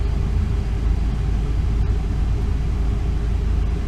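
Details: 2002 Ford E350 Econoline, 5.4 Triton V8, 132,000 miles, after new spark plugs and one coil pack for a misfire and P0351; deep, steady idle with no stumbles or skips, firing evenly, and the self-test shows no misfire codes.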